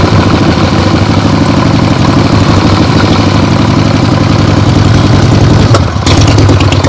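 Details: 1975 Harley-Davidson XLH Ironhead Sportster after full rebuild, first short test ride around the block on temporary lawnmower gas tank: deep, even V-twin drone holding steady, no knocks or popping, pulls cleanly; carb farts probably adjusted out once warm; runs great.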